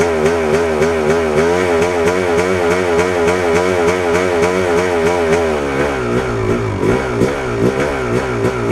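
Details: 1997 Yamaha YZ250 two-stroke warmed up, revving with a wavering, uneven note that breaks up and stumbles at about an eighth throttle, clutch pulled in; sputter arrives soon. It won't idle by itself; owner suspects crank seal or throttle connection, unconfirmed.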